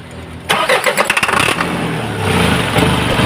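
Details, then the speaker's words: Isuzu 4HL1 diesel, hard starting: catches after brief crank, runs rough, lumpy and shaking at idle; injectors suspected worn, to be removed for checking. "Ayan nanginginig siya mga kaayos nangangatal so gagawin natin muna payos ah iche-check po natin yung kanyang injector po no"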